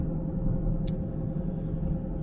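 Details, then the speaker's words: Vehicle driven with no oil in the rear axle, heard while driving: a loud, steady low hum under the road rumble that kept getting worse; owner suspects rear axle or wheel bearings, not confirmed. "well tracy decided she needed to drive around with no oil in her rear axle and so she had said something about it"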